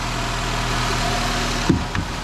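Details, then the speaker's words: 2011 Nissan X-Trail idling after start-up: steady petrol idle with a faint, brief metallic rattle from the catalytic converter, whose loose internals rattle. "Okay, one of the little rattle noise is from here for sure. See the little rag when you start up."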